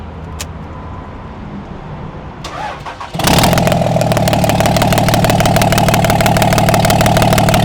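The diesel fires at once and settles into an even idle with a steady, regular clatter of about three beats a second and no misfire.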